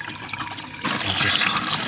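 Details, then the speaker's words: Campervan water system refilled after winterisation, pump switched on with tap open: quiet sputter and gurgle while filling the boiler gives way to a sudden steady hiss of running water, air purged; steady tap flow. "And here it comes. There we are. That's now running through."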